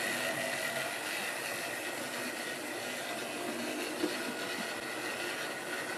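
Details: Wrenn West Country class model loco Lyme Regis, unrun since the 80s, after servicing: couplings freed of paint on bearings, joints greased. Steady, even high-pitched whir, no knocks or catches; small motor runs smoothly and sounds healthy.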